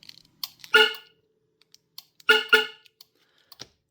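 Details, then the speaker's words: Viper 3400V car alarm with its new compact siren, armed from the remote: two short sharp soft-chirp blasts about 1.5 s apart in a quiet room; the normal arming chirp. "So speaking of soft chirps, I may as well arm this. That's what the soft chirp sounds like."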